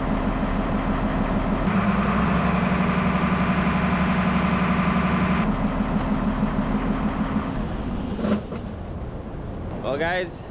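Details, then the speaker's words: Tractor after splitting the cover and repairing the PTO, which had been grinding and not engaging: engine holds a steady even hum as the PTO spins up smoothly, no grinding or clashing. "she spins up, doesn't grind anymore. We got her."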